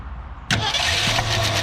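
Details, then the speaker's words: 1967 Ford Galaxie 500, Ford 289, first start after a top-end rebuild with rockers still loose before valve lash setting: engine catches and settles into fast, light ticking over the idle; valve train chatter. "So we're gonna crank it up, and then I'm gonna tighten them down where there's no chatter, and then we'll come back through, and I will set each individual rocker arm, set the valve lash, and engine should be ready to go."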